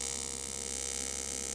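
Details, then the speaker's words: Aluminum AC TIG weld (Eastwood TIG 200): steady high buzzing hiss with slight pulsing waver as foot pedal varies amperage, pumping pedal to control heat while adding filler rod; welder running normally. "so I'm just kind of going along and that's why you hear that amperage the uh the sound is kind of changing as I uh vary the amperage of my foot"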